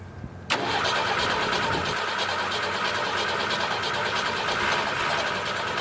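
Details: Military surplus forklift, first start attempt after purchase, batteries hooked up and fuel added: short crank, catches at once and settles into a steady, even run with no misses or knocks; normal start and idle.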